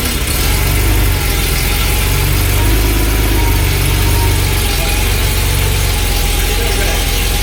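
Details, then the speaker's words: Barn-find Porsche 911 SC, sat 16 years: uneven loping idle with a rough low beat and occasional pops back through the intake; pop-off valve planned and mixture being adjusted. "right so that's one lumpy you hear that pop back yeah that's why we're going to put pop off valve in here so I'm going to see if I can get it running a little bit better now by adjusting the mixture"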